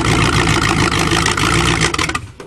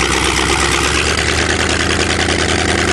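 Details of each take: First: Car revived after standing 7 months with water in the engine, which is almost seized, on choke and blowing black smoke: it catches quickly and runs with a busy, even clatter before cutting off; it starts readily. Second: Chevrolet with water in the engine for 7 months, almost seized, cold and on choke, blowing black smoke: a lumpy, chuggy idle with uneven firing that stumbles and nearly dies. Rich cold idle on choke.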